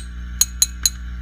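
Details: Fender Custom Shop '57 Twin tube amp, powered on with controls up, tapping the rectifier tubes: three sharp glassy taps with no ringing or crackle through the speaker; rectifier tubes normal, not microphonic (fault was microphonic preamp tubes).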